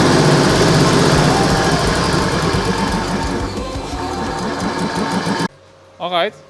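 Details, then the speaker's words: Backer 111/2 large two-cylinder air compressor (rated 1560 L/min), restored, after fixing a small air leak, reaching 9.5 bar: even piston chug about four beats per second, no knocking, until the motor shuts off. Normal compressor running. "this is running really nice it's now on 9 and half bars and I think that's a really nice pressure for the workshop"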